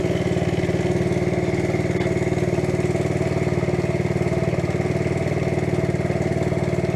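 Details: Steady, even idle putter with a regular beat and no knocks or misses from a 1971 Honda CT70 Trail 70 single after transmission repairs and basic maintenance; normal idle.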